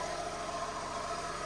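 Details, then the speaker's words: 2012 Fiat 500 Lounge (Cat S project car, sat outside about a week) idling during the damage assessment: a steady, even idle with a smooth low pulse and no knocks, misses or whine. It runs really nice and smooth, a normal idle. "I'll put the cover back on but running really nice really smooth"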